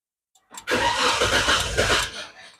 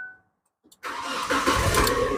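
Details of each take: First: Old Naza Citra after the damaged injector wiring was repaired: about 1.5 seconds of cranking and chugging that never catches. It is not out of fuel; the electric fuel pump has failed. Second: Old Naza Citra after repair of a damaged fuel injector wire (injector fuse kept blowing) and replacement of a failed electric fuel pump: a short crank, then it starts on the first try into a steady idle. The idle RPM is low, with a slight idling problem.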